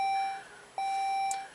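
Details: 2006 Saab 9-3 V6 six-speed manual, no-crank in a parking lot: two clear identical high chimes about 0.8 s apart at key-on, the dash warning for a failed left front turn signal bulb.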